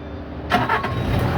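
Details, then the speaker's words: Bobcat skid steer loader after repairing a wiring fault that stopped the controller communicating with the display (code L7404 before): engine catches quickly and settles into a steady low idle; clean, normal start, display working, no error codes. "so machine is started so viewers you can see so now a display is coming everything is okay"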